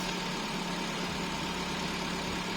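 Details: Car with a dead battery after repeated starts using a 99800mAh jump starter booster pack: smooth, steady idle with an even hum and no misses, ticks or knocks; engine idling normally.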